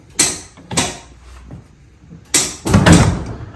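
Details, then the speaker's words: 1998 Club Car DS golf cart that suddenly stopped running, after replacing the pedal switch (V-Glide): key on, forward or reverse, few sharp clicks with firm clack as accelerator pressed; solenoid now engages normally only on pedal. "Now we turn the key on. We put it in forward or reverse. The solenoid doesn't click on until we hit the accelerator pedal."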